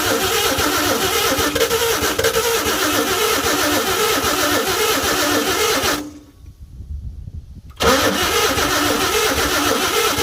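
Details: 1952 Chevy with new Autolite plugs, carburetor filter off, gas poured down the carburetor: steady starter churning for about six seconds, a pause, then more cranking, never catching. It cranks but won't start; the owner suspects low compression from seized rings and a weak fuel pump.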